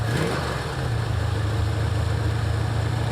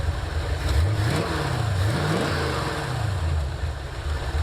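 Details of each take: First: 1984 Ford Mustang GT350 V8, just started on choke after new starter: steady idle with quick puffing tick on each firing pulse; exhaust leaking at the headers, easy fix to order later. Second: 1984 Ford Mustang GT350, restarted with key and clutch after starter replacement (third starter): two quick blips then steady even idle without ticking or puffing; sounds much better, drivable, oil leak remains.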